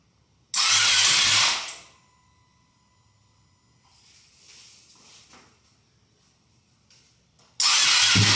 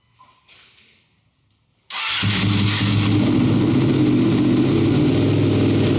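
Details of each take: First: Wrecked Ducati Panigale V2 Bayliss rebuild, first start attempts with a little fuel in the cleaned tank: two harsh bursts of starter whirr without catching; owner suspects the battery is a bit dead. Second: Wrecked Ducati Panigale V2 Bayliss rebuild, first start after 3–4 months, in neutral, little fuel, battery somewhat weak: catches and settles at once into a strong, even, lumpy twin idle, no misses or knocks; smoke from rear header likely cleaning products.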